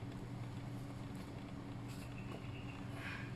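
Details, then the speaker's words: New Intex Krystal Clear filter pump, properly installed, running with motor on: steady low hum with rough buzzy vibration, no strong water rush; defective, no or very weak outflow despite motor running. "so you'll see there's some vibration in the pump but you can see um you can really hear that it's the motor is not working properly"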